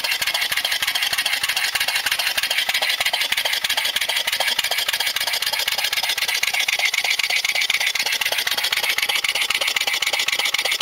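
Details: Air-powered engine converted from a regular lawnmower engine with camshaft modified to eliminate compression: quick, hissy, even chuffing, no compression thump. Runs smoothly, normal.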